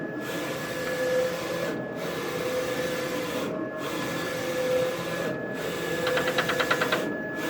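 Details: Roland VS-540i printer: carriage sweeps back and forth with a burst of popping clanks when moving right toward the control panel; print quality still fine; when cutting, noise only on return after job.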